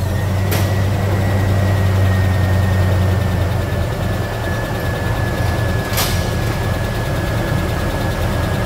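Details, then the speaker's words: Mitsubishi Pajero Dakar V6 flex-fuel at idle during a post-purchase service with timing belt replacement, new radiator and cleaned TBI, while coolant bleeding is underway: deep, steady, even rumble with no knocks or misses; normal healthy idle. "Vocês escutaram esta belíssima melodia. Quando a gente terminar o serviço dela, a gente faz aquela, ouvindo o urro deste belíssimo motor V6. Esses motores de alta cilindrada têm um barulho inigualável, não é mesmo?"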